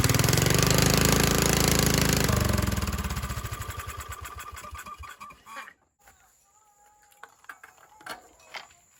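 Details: Cheap formerly non-running riding mower, single-cylinder engine pulses loud and even, then slows and coasts to a stop; carburetor float bracket broken, fuel tuned with cutoff valve; runs properly once fuel flows freely.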